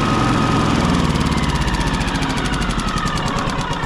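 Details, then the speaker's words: Yamaha EF4500ISE electric-start generator that runs rough and dies under load, restarted after tightening a loose ground/negative wire: uneven, lumpy surging chug; slightly better but still rough, cause unknown. "Almost like it sounds a little bit better. Still kind of just not right."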